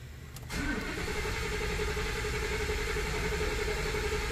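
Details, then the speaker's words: Ford F150 5.0, over 100,000 miles, after oil change with 5W30, priming oil in flood mode with gas pedal floored: starter turns evenly about four beats a second without firing; normal cranking, no start. "I got my foot right here push the gas down hold it to the floor and then crank the engine"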